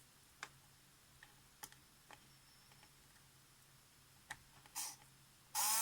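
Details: Polaroid SX-70 camera motor, bench-tested before restoration by touching leads to its pads with tweezers: faint handling ticks, then brief high buzzy gear whir; runs, condition unclear.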